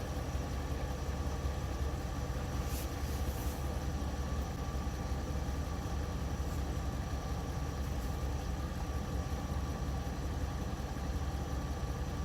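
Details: 1971 GMC Camper Special 3/4 ton V8, later restarts after first start in 18+ years: steady even low rumble, no misses; firing on all cylinders, oil pressure good, fuel delivery still being sorted.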